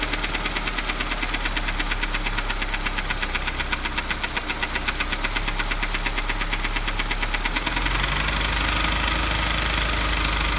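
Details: Honda S2000: steady light top-end tapping about 3 per second over a smooth idle; it is unchanged after replacing the cam chain tensioner, and exhaustive engine, valve and cam checks have not found the source.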